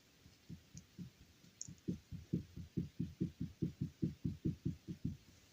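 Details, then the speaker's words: 2007 Ford Transit Mk7 2.2 diesel, spindle removed for service; hub turned by hand gives rough low grinding pulses about two a second, a bad wheel bearing to be replaced. "but uh when I was working with this I noticed also that the wheel bearing itself is bad so I took off the whole spindle so I can change it you can hear it"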